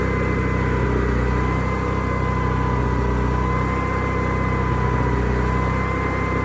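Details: Onan generator with a newly added inline fuel filter, restarted with the side cover on: a steady, even engine drone with a constant low hum and no misses, knocks or surging, so it is running smoothly.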